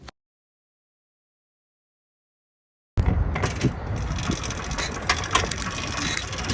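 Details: Restored motorized bike/moped two-stroke after clutch rebuild and new spark plug, third start attempt of the day; silence, then it catches and runs with a busy, slightly uneven rattle about four beats a second, starting and running normally.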